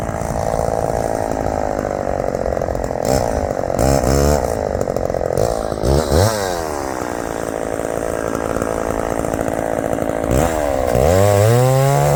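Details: Big heavy chainsaw under load in hardwood: a strong high-revving buzz that bogs slightly in the cut and snaps back quickly on throttle. It pulls hard and responds cleanly, coming off the throttle and going right back on.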